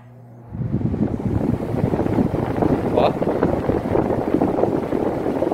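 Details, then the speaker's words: Britânia fan after its bushings were replaced with rubber-sealed bearings centred and fixed with Durepox: even airy whoosh with no rattle, knock or wobble, running quiet and smooth, normal operation after repair. "vocês viram levinho de toda ficou bem silencioso pessoal"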